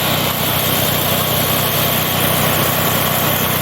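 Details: Honda GX690 engine running after blown fuse and burnt wires were bypassed with jumper clips: steady, even buzz at constant speed with no misses or knocks; runs normally.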